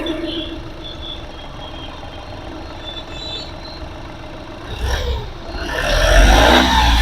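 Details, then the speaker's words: 2013 Volkswagen Polo TDI diesel, single owner, Amaron battery: a quiet, steady idle with an even light tick and no shake or misfire, then revs lift smoothly. Engine as smooth as a petrol engine, so a normal idle. "ಎಷ್ಟು smooth ಆಗಿದೆ engine ತುಂಬಾ smooth ಇದೆ engine petrol engine ತರ maintain ಮಾಡಿದ್ದಾರೆ"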